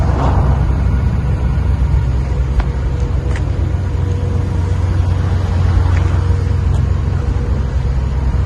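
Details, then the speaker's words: 1958 Cadillac Eldorado, 65-year-old 365 V8 with a 3-bolt two-barrel carburetor, idling outside on a new near-original exhaust with rear resonator mufflers; deep, soft, even rumble with no ticking or rattling, quiet; normal idle. "You can hear it's nice and quiet. Beautiful car in very good condition."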